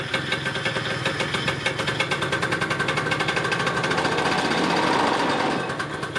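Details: Yamaha Neo's 50 scooter, 50cc two-stroke, after service (new hoses, air filter, spark plug, 2-stroke oil), idling during a charging check with a multimeter: quick, even popping on a steady beat with no misses or knocks. Idles cleanly.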